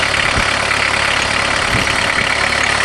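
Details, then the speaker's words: VW Jetta diesel-converted van with a mechanical injector pump, high kilometers, just started; cold idle with loud steady clatter, even beat, no misses; running normally, just noisy while cold. "perfect they sure are noisy when you're cold"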